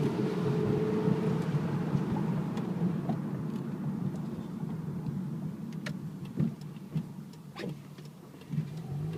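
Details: 2008 Mitsubishi Eclipse: low engine rumble with loose, uneven clicking and tapping rattles scattered over it; source of the rattle not yet pinned down.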